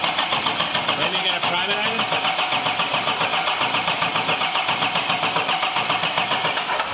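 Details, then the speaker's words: 2021 Chevrolet Silverado 2500 Duramax diesel, rebuilt, first start attempt with fuel rails empty: steady starter cranking about 220 a minute for seven seconds, no catch; cranks without firing, fuel system suspected needing priming. "like we gotta prime it probably right for the fuel there was no fuel in the rails themselves though"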